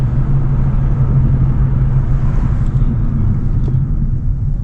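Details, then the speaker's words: 2018 Hyundai Elantra test drive after front brake pad replacement: only low even road rumble while slowing, no squeaking, grinding or sticking; car stops well and tracks straight — quiet braking. "Beautiful. Sounds beautiful. don't hear no squeaking."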